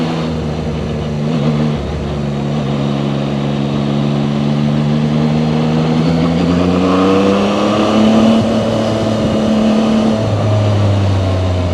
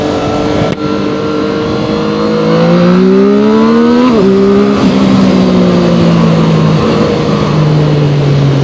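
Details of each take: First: Zontes 703RR inline-three at about 9,500 km, riding slowly in second gear: engine note rises and falls at low revs with a buzzing edge from the engine, without vibration. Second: Zontes 703RR inline-three motorcycle at about 9,500 km, accelerating at higher speed. Smooth three-cylinder note climbing cleanly with crisp gear changes; the buzzing heard at slow speed in second gear is absent; normal.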